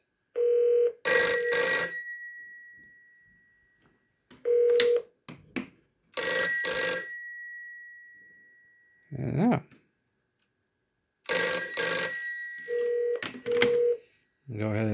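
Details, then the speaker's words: Rebuilt 1949 Western Electric Bell System 302 desk telephone with new #6 dial, new cords and cleaned contacts, called from a test phone: clean, strong bell rings of about a second each repeat at steady intervals with no buzz or rattle; ringer works properly. "I'm going to call it from my test phone here, and that extension's 264. And as you can hear, it's ringing nice."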